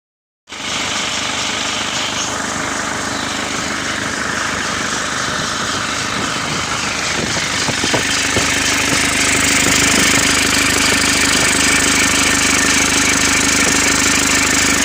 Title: Isuzu dmax 2004 model 4JA1 engine turbo bearing starting to have some problem